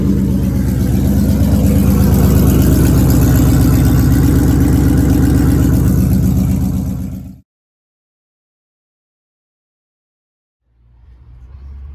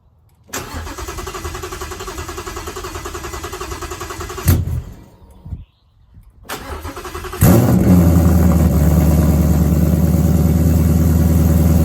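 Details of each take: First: First start of a Ford Coyote V8 swap with a 10R80 transmission: even idle with no surging and a crisp puffing tick on every pulse, then shutdown. A pretty good exhaust leak at the header collector joint. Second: Coyote V8 swap first start after sorting FRPP control pack issues and exhaust work: cranks briefly, catches and settles into a steady, even, deep idle; normal start and idle.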